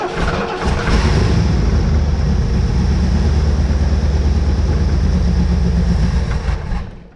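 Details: 1971 Lincoln Mark III barn find after freeing a stuck throttle shaft, running on gas poured into the carburetor with the pedal feathered: it cranks, catches and roars evenly for about six seconds, then stalls.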